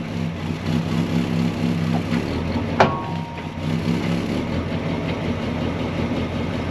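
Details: 1965 Ford Galaxie 500 project car, newly revived, with oil pressure and coolant temperature on the gauges: the big V8 idles with a steady, even lope and one brief click midway. It runs smoothly and sounds healthy.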